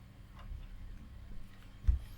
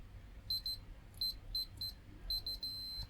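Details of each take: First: DEA K-15A full-range active speaker amplifier, powers on but no audio: one soft click about two seconds in over a faint hum as the speaker protection relay pulls in at switch-on. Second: DEA K-15A 450 W full-range active speaker amplifier that powers on with no audio; meter on resistance range near a very hot resistor: short beeps then a long continuous tone, very low resistance, so the Zener diode is shorted.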